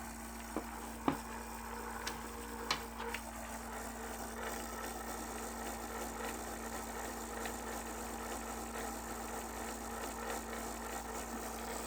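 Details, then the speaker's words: Asus Zenbook laptop left cooling fan rattling: steady low buzzing hum with a fine rattle as the wobbling fan rubs its housing; the other side is quiet. "if you have this rattling fan so i have the left side fan is rattling"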